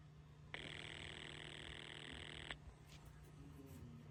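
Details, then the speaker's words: Telephone line heard through a test/butt set monitoring the line: steady buzzy ring burst of ring voltage (about 20 Hz) over faint line hum, followed by caller ID data and another ring; normal ringing signal. "If you're able to hear, you could hear the ring cycle which is going about 20 hertz per second. And then you heard the caller ID data and another ring."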